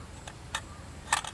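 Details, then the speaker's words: Peugeot Boxer/Citroën Jumper/Fiat Ducato 3.0 Iveco engine, code P0638, new throttle body fitted via adapter cable after water ingress damage, engine off: sharp irregular clicks from throttle valve; suspected faulty connector or bad connection. "there is a fault in the connector i can now hear the valve clicking with the adapter cable in between i guess you can hear it clicking so"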